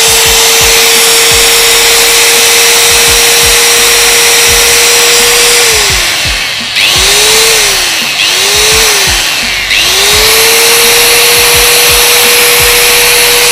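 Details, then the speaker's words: Bosch GWS 060 angle grinder (made in China), running free with no load; clean, steady high whine that dips and recovers, with no grinding or rattle; sounds fairly smooth and the gearbox stays cool, a healthy grinder. "suaranya lumayan halus vs ini juga tidak panas tidak panas guys"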